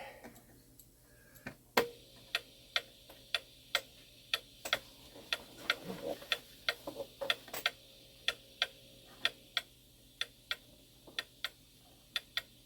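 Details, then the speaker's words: Shanghai 555 clock movement, heard via beat analyzer before beat correction: tick and tock unevenly spaced long-short, about one a second, clock won't stay running; clock out of beat. "It's out of beat right now. I can hear it. You're going to be able to hear it too."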